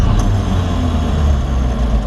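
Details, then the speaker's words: 1954 Chevrolet 3100 5-window pickup, 235 straight-six, possibly rebuilt, started with the foot-pedal starter: a deep, even rumble with no knocks or stumbles; normal, strong running. "The old 235 runs nice and strong."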